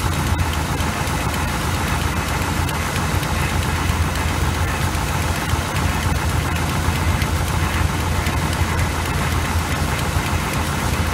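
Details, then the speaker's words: 1986 GMC with small-block 400 V8 and Edelbrock carburetor, during carb and idle adjustment: low, lumpy, loping idle that never smooths out; rough idle. "what's the problem it's idling a little rough"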